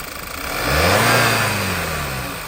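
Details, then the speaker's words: 2011 Volkswagen Eos 2.0 TSI after OEM PCV/crankcase breather valve replacement, misfire code persisting: uneven stumbling pulses at low speed as engine blips and settles; vacuum leak suspected at oily timing cover gasket. "Now, now it's just a matter of figuring out where is the vacuum leak. And I'm guessing it's probably right here."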